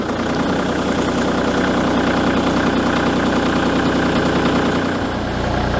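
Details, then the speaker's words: Kubota L3301 diesel tractor, unstarted a week+, likely winter fuel, at about -28°C after a -40°C night: glowed three times (sensor cuts glow after 10-15 seconds), started right away, steady even diesel idle with no misses or knocks, normal. "So as you can see, the L3301 started up right away."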